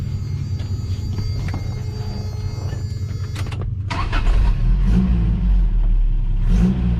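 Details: Truck after a mechanic's fix: runs steady, then revs cleanly to a smooth, strong idle with no knocks or misses.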